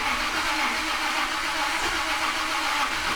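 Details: Ultimate Highboy truck with erratic spark no-start: starter whirs steadily at about 120 rpm cranking with a high, even drone, never catches; transmission controller reads input rpm about half actual; cause not found.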